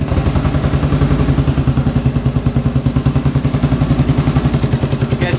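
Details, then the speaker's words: Cheap Honda 400EX quad, first start on a very cold day around -6 degrees: even low thumping single-cylinder idle with steady firing pulses, no knock or clatter; runs fine, smokes a little, owner suspects oil from the valve cover. "hear any kicking it doesn't sound horrible oh yeah she's smoking not horribly"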